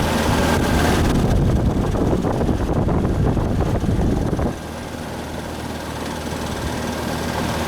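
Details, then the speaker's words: Old Ruud R22 AC condenser fan motor, found not spinning despite a good capacitor, now running: steady low drone with a rough gravelly growl; motor bound up, blamed on weather exposure, likely needs a new motor. "Oh yeah, she's bound up. She's growly. Hear it? Should run now. She's a little growly. From it baking in the flipping wind."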